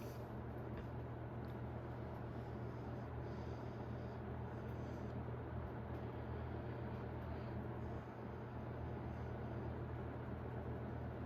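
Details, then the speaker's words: 1991 Robeson 20-inch box fan on low speed, drawing 0.69: steady, quiet, even low airy hum with nothing out of place. "Fairly quiet. Decent low speed here."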